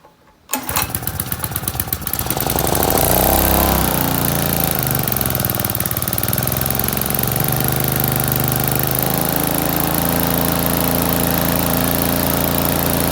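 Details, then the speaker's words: Kubota petrol generator started stone cold, not run for about 2 days, after carburetor cleaning and a new HT lead. With choke on and set to 12 V DC, it catches on one pull and settles into a steady, even chug. "Away she goes. That's all we're going to do."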